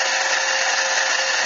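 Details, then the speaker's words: Lathe truing the center bore of a T6 aluminum air-gun muzzle brake: steady cutting hiss with a ringing edge as the tool catches only the high side of the out-of-round bore, throwing chips not strings; chatter would come if it got worse. "if it gets any worse you actually hear the chatter that's just catching the high side there's no way we're going to have perfectly run"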